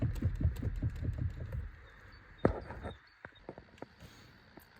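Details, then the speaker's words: Hyundai Elantra electric power steering motor under the dash, lower panels removed, heard from above: quick dull knocks about five a second, then scattered clicks; worn EPS worm gear damper, to be replaced with part 563152K000FFF. "Так, друзья, в общем, у нас вот он мотор. И здесь идёт стук прямо сверху слышно."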